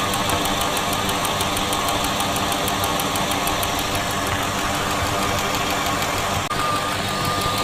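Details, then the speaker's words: Idling V8 with stethoscope on the fuel injectors during fuel-system diagnosis before rebuilding: light, even, crisp ticking about six times a second, all injectors sounding similar and normal. "okay so all of the injectors do sound similar you can hear a distinct ticking"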